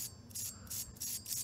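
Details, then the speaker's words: Hoover Elite vacuum motor disassembled, armature spun by hand before bearing replacement: uneven gritty bursts, about three rough passes a second; motor bearings badly worn and need replacing. "yeah that thing that thing needs bearings bad"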